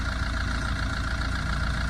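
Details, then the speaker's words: 2011 Tata Vista diesel, 124,000 km, idling: steady rumble with a faint rough whirr on top from the intermediate drive-shaft bearing, whose housing is broken; called a major problem. "இந்த இன்டர்மீடியன்ட்டோட housing பாருங்கள், சுத்தமாக உடஞ்சி போயிட்டுருக்கு. இதனால தான் இது ஒரு noise வருது. இதுதான் இன்ஜினோட ஒரிஜினல் நாய்ஸு."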